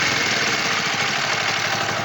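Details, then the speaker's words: Kawasaki Vulcan EN 500 twin idling cold: fast light ticking chatter inside over the exhaust beat, worse when hot; valve clearance suspected, plus a possible air leak causing slow return from revs. "Bueno si se escucha se escucha bastante No sé si se oye [Aplausos] yo creo que válvula [Aplausos] suena tracaleo ahí dentro no me gusta"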